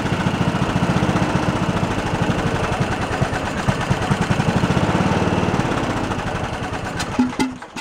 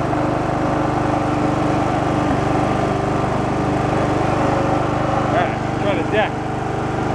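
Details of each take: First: Abandoned Poulan Pro riding mower engine with a missing valve keeper and loose valve adjustment: chugs on choke only, firing gets ragged and fades, then stumbles and quits; clogged carburetor idle circuit, no bottom-end knock. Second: Abandoned Poulan Pro riding mower, petrol engine that earlier popped back as if running rich, now mowing with the deck engaged: a steady, even drone with no misses or surging; running normally under load.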